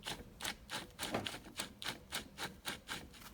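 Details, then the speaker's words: Porsche 996 clutch and flywheel, with a broken pressure plate locating stud, turned by hand: light uneven ticks about three to four per second; clicking that shouldn't be there, owner plans replacing clutch parts, cause unknown. "weird that probably shouldn't be there so i'm guessing i need to reply i'll replace all three of these these items"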